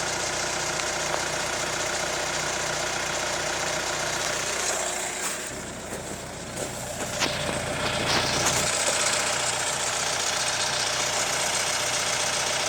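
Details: Hyundai ix35 CRDi 136 hp diesel, hot idle: a fairly regular light knock, about four per second, over the diesel clatter; hydraulic lifters or the chain tensioner suspected; engine knock at hot idle.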